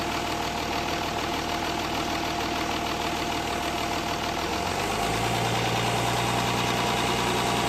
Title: S-type 2.7d possible low end knock? Spun bearings?